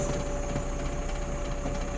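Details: Bomag BW211D compactor diesel at steady high idle with a constant fixed pitch, no knocks or misses; engine itself healthy. Being tested for low oil pressure warning: actual pressure 5 kg at low idle and 7 kg at high, so the oil pressure switch is faulty.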